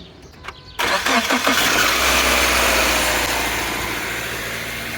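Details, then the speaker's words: Subaru Outback with factory 1.2 kW starter: harsh high grinding screech only during cranking and firing, then fades; owner first suspected timing chain wear, replaced with a 1.4 kW starter. "Sí, este sonido desagradable en forma de chirrido lo hacía el automóvil solo cuando se arrancaba el motor."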